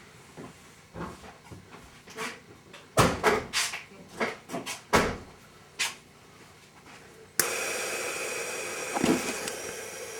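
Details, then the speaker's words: 2003 Mercury Grand Marquis air suspension after compressor replacement: scattered thumps, then steady hiss of air for several seconds as the solenoid vents after weight is removed; normal operation. "okay you can hear the air coming out now that we got off of it that's the solenoid release in the air back to where it needs to be"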